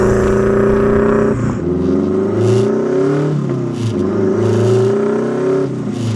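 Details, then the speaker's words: Turbo Mazda Miata, built 1.6L with new head gasket, clutch, flywheel, exhaust and intake, driving through gears: lumpy offbeat boxer-style warble with light rattle, brain-rattling motor mounts noted; healthy engine, sound from unequal-length turbo manifold. "Oh my my gosh, it sounds so sick. It sounds like a Subaru. It worked. It definitely worked."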